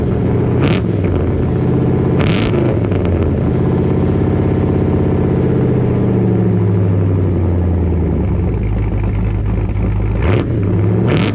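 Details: Dodge Dakota R/T V8 pickup running SRT Scat Pack/Hellcat resonators with added Ram 1500 resonators: deep booming drone swelling as revs rise and fall over a lumpy idle; the added resonators still make the exhaust drone, and Hellcat mufflers are planned next.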